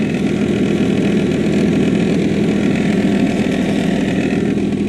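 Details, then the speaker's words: 1997 Saturn SL2 at idle after replacing engine and transmission mounts: loud steady whirring hum over the engine from the accessory drive, still present after the mounts; owner suspects AC compressor bearing or a bad tensioner, unconfirmed. "still pretty loud C noise actually sounds like maybe the bearing in the AC compressor is going"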